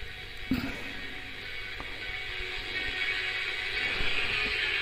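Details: Radio Shack soft-toy AM receiver, five-transistor superhet with 455 kHz IF, after IF alignment, drawing about 12 mA: faint broadcast audio comes through clearly over light hiss with no crackle or dropouts; normal AM reception.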